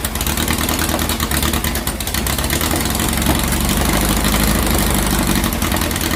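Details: 2332cc "Dust Buggy" bug on a cold-start morning after carb cleaning, with fresh oil and a new filter. Earlier missing was fixed by setting the mixture screws. Steady, even low idle with a smooth regular beat and no misses or knocks: normal idle.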